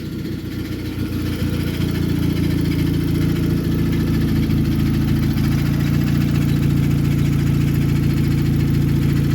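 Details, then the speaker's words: Nissan Sentra with a recently installed replacement engine, idling with a steady low rumble and a regular tick or knock about three to four per second, seeming to come from underneath the engine; exhaust also broken, oil just changed: engine ticking or knocking. "they want to go ahead and get the power steering fixed but a noise has developed it sounds like a ticking noise coming from the engine or a knocking noise"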